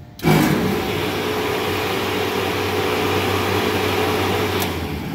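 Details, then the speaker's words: Refrigeration condenser fan motor running with a steady hum and a slightly rough, gritty whir from dry bearings. "As you can tell, that one's not only noisy because the bearings are going out of it, but it's also pulling higher amperage because of it."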